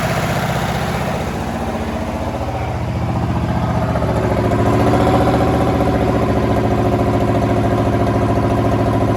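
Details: V8 in a 1932 Chevy hot rod built in the 1960s, off the road for 32 years and last titled in 1989; lumpy firing swells and steadies as gas is dribbled in, and it runs only on fuel fed straight into the carburetor.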